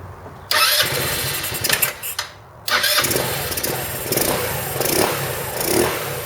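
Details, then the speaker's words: 2008 Roketa Sicily 150 scooter, after repair: fires up, cuts out briefly, restarts, then settles into a smooth idle with clean light revs; running beautifully. "oh as you can see it's running beautifully now so I'm going to go ahead and start reassembling it here"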